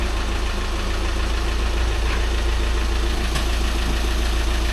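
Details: VW Crafter diesel van just after clutch and flywheel replacement, being test-moved: even diesel clatter at a steady idle, heavy low rumble with regular firing, no knocks or slipping noises; normal idle.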